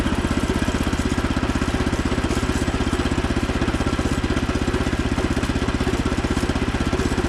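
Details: Frontier OS27 sawmill on its first cut with a newly swapped 15HP Harbor Freight Predator engine, replacing the 13HP Briggs & Stratton. Strong, even pulsing of about four beats a second holds firm through the cut; healthy engine pulling its load.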